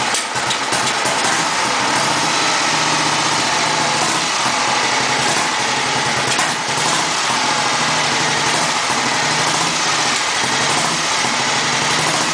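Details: 1954 Matchless G80S single restored from a basket case over three years, first start after 30 years: steady, even idle with dense mechanical clatter, no misses or knocks; normal idle.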